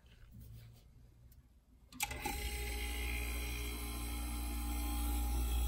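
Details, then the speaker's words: 1980s Super dehumidifier refrigeration test, Samsung 1/6HP reciprocating R-12 compressor, 120VAC 3.5A, fan disconnected: soft click then super quiet steady hum with faint whine, refrigerant flowing, near ambient temperature; normal compressor running. "super quiet all right so i can hear the refrigerant flowing it's pretty much at ambient temperature right now"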